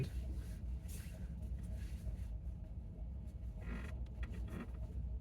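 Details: 2019 Chevy Bolt gives short creaks and groans over low cabin rumble during slow right turns in a parking lot, about 50°F; does not happen on left turns.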